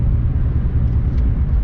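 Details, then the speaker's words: BMW E36, sat since December, lost a cylinder after refuelling: heavy, uneven low rumble, shaking, no power, check-engine light flashed briefly; owner suspected injector or ignition, original coils; misfire from failed ignition coils and plugs. "it is running like [ __ ] there's no power shaking real bad it threw an engine light for a second it went back off i've either got a bad injector or i got an ignition issue"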